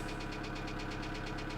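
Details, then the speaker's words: 2008 Kia Sedona 2.9 CRDi diesel (J3), P0016 crank/cam correlation code returns: steady, even knock about eight per second at idle; jumped or faulty timing chain suspected, not confirmed. "so i think you're looking at a jump chime and chain or the timing chain needs investigated"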